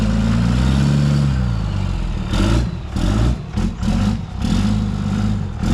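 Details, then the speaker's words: 1995 Ford F-150 after a swap to 2005 axles: low, uneven, lumpy idle with no steady rhythm. The engine runs rough for no obvious reason. A weak or sticking solenoid was suspected during cranking. "That thing sounds like a turd. Ooh. Damn."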